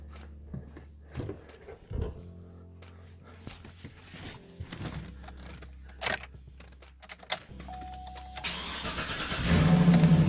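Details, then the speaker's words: 2007-2014 GM truck after replacing damaged negative battery ground cable (part 22846471), dead for over a week with long-standing weak starts: a few clicks, short crank, engine fires promptly and settles into a steady run; start now much stronger. "yeah it works finally it's had kind of a weak start for a long time i think that battery cable has been damaged for quite a while it sounds much stronger when it starts now yeah that sounds like it should"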